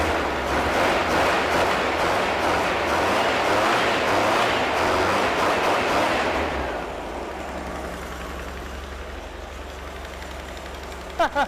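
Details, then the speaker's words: Mystery VW flat-four of unknown history, rebuilt from used parts, first start, engine still cold, very thick oil used: even, steady beat for six seconds then winds down, no bottom-end knock; small exhaust leak noted; sounds healthy. "I'm actually kind of surprised that I don't hear any knocking although I did basically use pancake syrup as uh as oil so who knows"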